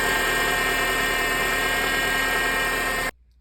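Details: 2006 Honda Accord running engine gives a steady high whine with a gritty, grinding, supercharger-like edge, from the power steering pump drawing air; fixed by replacing the pump's O-ring.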